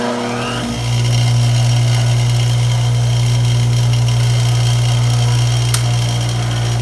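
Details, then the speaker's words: 1965 Craftsman bench grinder before restoration, estate-sale find with dry-rotted cord: steady even motor hum with strong low drone, no rubbing or grinding, long unwind after switch-off; bearings seem in good shape, maybe needing grease. "so it sounds pretty good as you can tell i turned it off and this thing takes a while to unwind um that makes me feel like the bearings are in really good shape"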